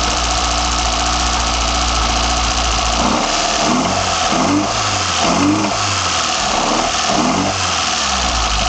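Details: BMW 318i M10 engine, first startup with sidedraft individual throttle bodies fitted: catches after a few seconds, settles to a steady even idle with lumpy intake pulse; sounds healthy, though a slight whistle was noted afterward.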